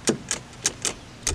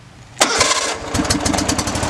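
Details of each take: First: Hustler FastTrack zero-turn mower: sharp single clicks, about six in under two seconds, with no cranking when the key is turned. Persists despite a new starter, relays and solenoid and a bypassed seat switch. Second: Hustler FastTrack zero-turn mower that previously only clicked, started through a bypass starter push-button. Starter whirs briefly, the engine catches within a second and settles into an even, steady idle; suspected wiring-harness connection problem.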